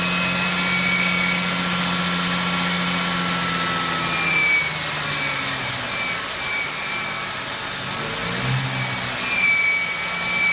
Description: 99 Ford Mustang 3.8L V6 squealing sound coming from engine.